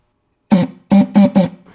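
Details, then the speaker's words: 1968 Ford C4 automatic transmission during stock rebuild reassembly, air check on governor: short buzzing bursts with steady low tone on each shot of air; governor spins freely and correctly. "That's spinning. That spins correctly in the initial video as well."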